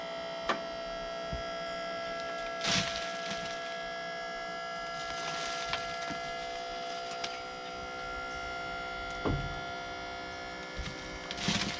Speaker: i really didn't think it would dump that that was a lot of weight and that's just a little electric pump off the side of that side of that man lift the pump that's awesome